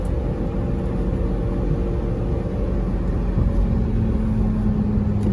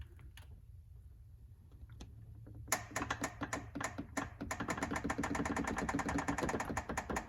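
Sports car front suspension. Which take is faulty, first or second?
second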